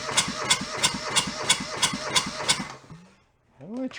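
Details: Junked small Kubota diesel from a scrapyard, cranked with a lever fully open: even starter churn about three turns a second, never catches, then stops; air suspected being sucked into the fuel line, possibly a missing pre-pump.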